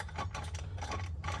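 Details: Stihl MS170 chainsaw, previously locked up, freed and running but screaming from the crankcase, turned slowly by hand during teardown: rough ratcheting bursts of gritty grinding over low drone; crankcase internals binding, cause unknown.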